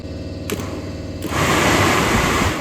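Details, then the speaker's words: Rusty 1971 Chevy K20 Suburban with stroker 388: blower after the fan cage swap, powered by a portable jump pack. A loud, steady rush of air with no wobble, a big difference from the weaker previous cage. Strong blower airflow. "okay that is a big difference okay so I think our other one was kind of weak the Gulu does good at that"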